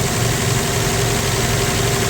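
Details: 1965 Plymouth Valiant 100 slant six, first start in years: smooth, even idle with steady low hum, no knocks or misses; idling nice, a little smoke afterward, normal idle.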